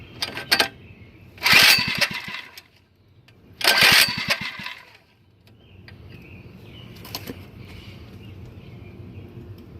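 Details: Mini bike small engine with the spark plug wire off, run switch on, gas open: two short ragged bursts of firing, each about a second, then it dies; catches briefly but won't keep running.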